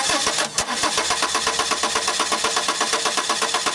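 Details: 1995 Subaru Legacy 2.2 with a waste-spark system, cranking steadily at about two turns per second without firing: a no-spark, no-start condition caused by a faulty igniter, fixed by replacing it.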